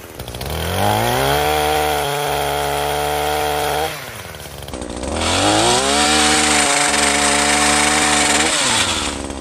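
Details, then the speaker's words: Echo PAS-2620 two-stroke multi-tool with pole saw attachment and freshly tightened sharpened chain, cutting branches: revs cleanly, holds a steady high buzz, barely bogging, keeps speed; normal running under load. "The PAS had, from what I saw, barely any bogging, and it was great. It powered through all of it and kept its speed up the entire way."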